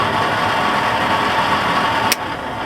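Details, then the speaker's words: RV stove hood vent fan, before motor replacement: steady whirring hum with a thin whine near 1 kHz, even and unchanging; worn, noisy fan motor. "i'm not loving it so i got a new motor"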